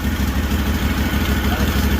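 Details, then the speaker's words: Rebuilt Kawasaki FR730V V-twin in a Cub Cadet SX60 mower, first start on under a gallon of non-ethanol-free fuel, a little choke: steady, even low thumping at a slightly high idle, no misses or knocks, sounds like a motorcycle; normal idle. "Might have to choke it a little bit. Sounds like a motorcycle, don't it?"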